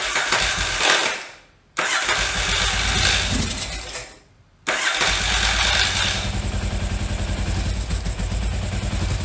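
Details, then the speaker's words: 1981 Yamaha XV920 after new starter and ground cable, carbs rechecked: two short cranks die, then the V-twin runs unevenly with a ragged puffing beat, dislikes throttle, smokes; owner wonders about an exhaust leak. "words doesn't like throttle is that an exhaust leak"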